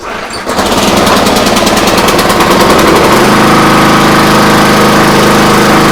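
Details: Free pressure washer that only ran on choke, after repair and apparently still on full choke: catches on the first pull, then a steady, even, fast putter that settles smoothly; normal start and run.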